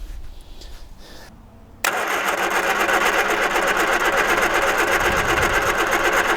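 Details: 1978 Triumph Spitfire 1500, not run in years, sediment suspected in carburettor float bowls and jets: steady starter cranking about four beats a second, never fires; cranks but will not start, no spark.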